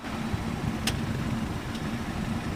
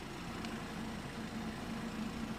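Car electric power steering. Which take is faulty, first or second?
first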